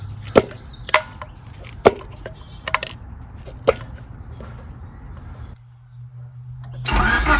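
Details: Honda Civic first start after engine work: a few slow, uneven knocks while cranking, then it catches and runs steadily. A clean start, though a small coolant leak remains at the intake manifold fitting.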